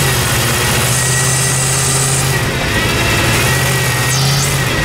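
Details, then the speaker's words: LS V8-swapped Humvee (diesel replaced) on its first drive: deep, steady V8 drone with a loud open intake roar, smooth and even with no misses or knocks; engine running healthy. "Wow yeah man way way better way way worth it runs great oh man"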